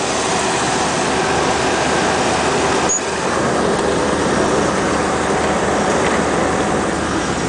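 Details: 1996 step van with a GM V8: steady, even idle with no knocks or ticks under the rumble, some outside noise around it; engine sounds healthy.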